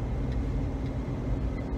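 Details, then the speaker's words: 2010 Jeep Liberty test-driven at 30–40 mph after replacing the front wheel bearings; a hum from the front started above 30 mph and new control arms had not cured it. Now there is a steady low road rumble with no hum: the bearings fixed it. "don't hear any sound coming from the front any humming sound so replacing the bearings fix that problem"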